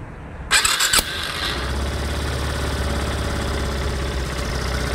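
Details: Yamaha Fazer 250 motorcycle cold start: starter whirr, then a fast cold idle with a busy clatter and popping snaps over the exhaust, louder when cold and on acceleration; owner asks what causes the cold-start clacking, cause unknown.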